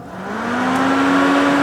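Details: Rebuilt 650 carburetor with new mechanical choke, accelerator pump shot confirmed and fuel pump on: engine catches, revs climb steadily, then holds an even note with no misses or stumbles; runs clean after rebuild.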